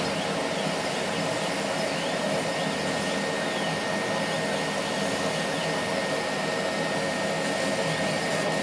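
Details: Laser cutter tube whistle from old cooling water: a thin steady high whistle over the exhaust fan rush while cutting. It began after about six months of use, at the nozzle exit rather than along the optics. Current rose 12→13 mA, with no uncut spots.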